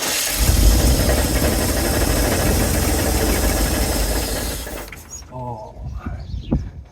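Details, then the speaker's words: 1970 Chevrolet C-10 junkyard truck, fuel pump drawing from a can. Engine catches, runs rough and loud about five seconds, then dies: apparently not pulling fuel, with cracked fuel lines and an old glass filter. "all right so I don't think we're pulling up any fuel there's a bunch of cracks in this line"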